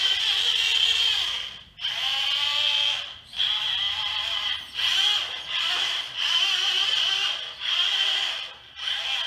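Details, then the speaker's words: ROCHOBBY Katana RC crawler with new Hobby Plus motor and new ESC: steady high-pitched whine rising and falling with throttle from brass pinion meshing with the plastic spur, pinion possibly marred on removal; motor noise and ESC whine gone. "The noise from the motor is gone. The noise that you hear now is the brass pinion on plastic. And I think I marred the pinion a hair when I was removing it."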